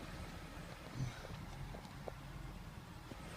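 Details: 2000 BMW 528i E39 six-cylinder after erasing codes (cylinder 2 misfire, P0340): quiet, steady low rumble with no stumble or skipped beats; idles smoothly and evenly.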